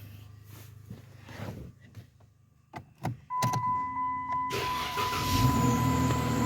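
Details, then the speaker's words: Dodge Challenger being tested for a parasitic draw, started after sitting two days: clicks and a chime, a brief crank, then it catches quickly and settles into steady idle; normal start. "all right guys so that's officially two days of this thing just really just sitting and uh it starts up"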